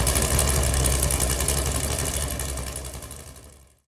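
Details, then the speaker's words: Freshly built Chevy Performance 454 big-block V8, first start on an engine run-in stand, good oil pressure: steady, even low rumble with no knocks or misses before shutdown; normal idle. "she ran pretty good sounds pretty good seems right now I'd like to idle around you know 900 to a thousand RPMs sounds like he's got a pretty good lick there"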